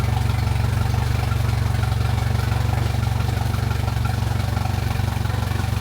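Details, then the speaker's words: Mercury Pro XS 115hp 2.1L outboard on a Mako 18LTS, first 5–10 s start after a 100-hour service (fluids, impeller, fuel filter, plugs, thermostat replaced; key cycled to prime filter). Even, steady low putter at idle, no knocks or misses. "I like to turn the key on and off a few times just to make sure the fuel filter gets properly primed and then we'll go ahead and start that engine for just 5 or 10 seconds"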